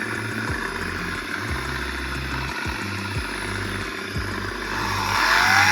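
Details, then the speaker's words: PPA Brutalle 3.0 JetFlex industrial sliding gate motor running with a coarse rattling hum and irregular knocks, noisy even at low speed and louder as speed rises; worn motor bearing noise. "Mesmo o motor ali em velocidade baixa, ele faz barulho. E quando você aumenta a velocidade, ele faz mais barulho ainda."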